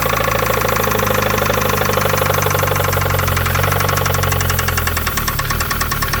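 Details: 1993 Mazda Miata 1.6L cold start, engine earlier died on its own after 30–60 seconds: rough, uneven idle with a steady fast ticking knock, cause not determined.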